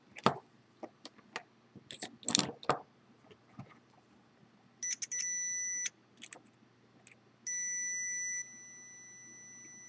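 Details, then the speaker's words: Continuity test while wiring a FolgerTech FT-i3 Mega 3D printer's power switch: handling clicks, then two steady high beeps about a second each as the meter shows a closed circuit on the green middle connector, a good connection. "so what we plugged in already with the green okay middle is happy so that guy checks out"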